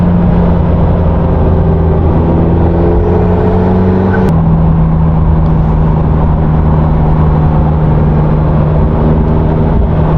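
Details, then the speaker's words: McLaren 650S after full engine rebuild (valve jobs on both banks, two valves, two cams, cam phasers and timing components replaced), before dyno tune: strong, smooth V8 note revving cleanly and settling evenly, no ticks or misses. "id valve jobs on both Banks two new valves were replaced two cams were replaced we did cam phasers new timing components and man this thing sounds so good take a listener"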